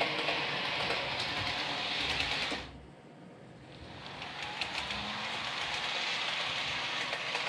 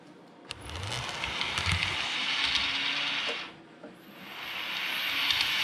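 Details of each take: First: Realtrack Class 156 OO model loco (RT156-312, 156497) after the axle repair, run slow and fast for 5 to 10 minutes: steady light whirr with even rail clicks, no squeak or squeal; runs quietly and smoothly. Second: Realtrack Class 156 model train (RT156-312) after running in: fine running forwards, but a thin high squeal over the motor whirr when running backwards; suspected dry motorised wheelset needing lubrication.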